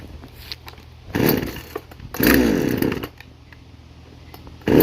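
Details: Two-stroke chainsaw assembled from parts of three broken saws, after chain tensioning: catches and revs up in short bursts, dropping back to a rough idle between them; running properly.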